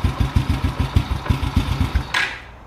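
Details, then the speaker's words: Carbureted motorcycle with the idle mixture screw turned fully in and seated. The uneven thumping idle, about six beats a second, weakens and then dies abruptly; it stalls from a lean mixture. "in that should be right there it stopped just shut the bike off completely"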